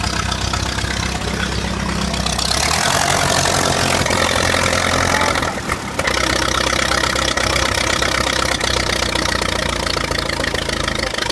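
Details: 1952 Ferguson TED tractor, first start after 40 years sitting in a field: even, steady chuffing at about four beats a second with no knocks or misses, idling sweetly; normal idle.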